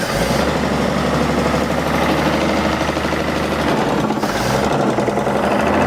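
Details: Chevy truck (1948/1950) abandoned 58 years, first start after cranking: a steady, even idle with no obvious knock. A rod-knock noise was suspected, but the engine sounded fine once running apart from one noise.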